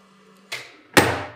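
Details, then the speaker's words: DX 280 FEA disc brake thruster during commissioning, closed electrically from a control box after contact force adjustment. Two sharp clunks, the second hard and final: the thruster closes completely, so no contact force reaches the disc via the levers. The reserve stroke needs adjusting. "can see and you can hear that the thruster is closing completely. That means that we are not able to provide contact force over the levers to the brake disc."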